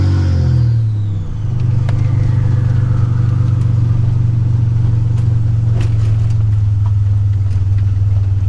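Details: 1985 Nissan 300ZX Turbo (Z31) driving after misfiring under boost, new spark plugs and wires and replacing a torn intake/charge-pipe hose that caused a boost leak: loud deep exhaust drone pulls steadily through revs without stumbling or cutting out; now builds boost.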